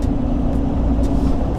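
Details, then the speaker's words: Rebuilt rolled 2018 GMC Sierra 3500HD Z71 driving after suspension work; steady low droning rumble while cruising, no extra noise in turns; owner suspects tires rather than hub or bearing, noise much reduced from before: road noise while driving. "it's a tires i don't think this is the hub or bearing yeah because when you turn it doesn't actually make extra noise it does have a noise road noise a little but like i said it's not a critical"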